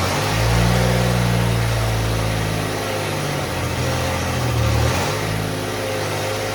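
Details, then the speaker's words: Willys Jeep CJ5 with swapped Chevy 4.3L V6, exhaust run only halfway back, while setting timing: low, slightly uneven idle with lazy blips; ignition timing retarded, distributor lacks rotation to advance it, owner plans to move plug wires one position. "all right so my problem is I don't have enough rotation on my distributor it wants to be Advanced more than that"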